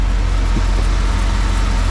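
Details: 1988 Camaro IROC with Tuned Port Injection V8, which stalled on throttle input; idles low and even, a steady deep rumble without stumble; distributor timing advance suspected.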